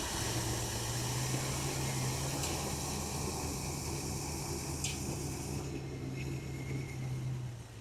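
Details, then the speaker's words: 1981 Jeep Wagoneer Limited first start after 20+ years sitting, oil pressure apparently shown, sender faulty: low, even idle rumble holding steady on its own with some hiss; normal idle. "That thing idles by itself flawlessly. Well, I shouldn't say flawlessly, Can never be too sure. We were scared because that sender is obviously junk. She's quiet, and she's idling good."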